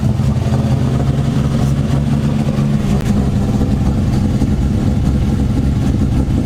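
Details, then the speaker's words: Toyota Supra on a JDM swap stock-block engine with Precision 6766 turbo, VWR kit and 66mm wastegate, build aimed at 700–800hp; deep lumpy idle with uneven low-end pulse, low compression on one cylinder, engine about to be pulled. "well this will be the last time you hear the car running like this because we're about to shut it off and pull the motor out because it's low on one cylinder"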